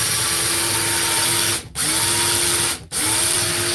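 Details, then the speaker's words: Cordless power tool on a weak 20 V battery, the one previously given a bath; short bursts of steady high whine with a rough gritty hiss under it, cutting out twice; worn motor bearing. "Hear the bearing in that? It's the one I give the bath to."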